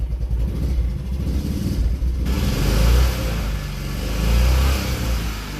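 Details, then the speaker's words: Gravity-fed engine after turning the tank fuel valve on and the float bowl filling, started out of gear: catches right up and revs up and down smoothly with no misfire or knock; runs normally despite the reported hard starting. "hard right up I don't understand what the problem was it seems fine"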